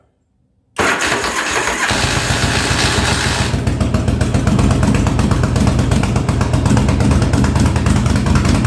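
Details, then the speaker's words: 1983 Yamaha Virago 920 barn find, after replacing a dead rear-cylinder spark plug: starts into an uneven, lumpy idle that stumbles; front cylinder kicking in and out, owner unsure if fuel or the other plug, gas leaking, needs tune-up. "I don't know if it's the fuel or what but it's the front cylinder is kicking in and out there a little bit"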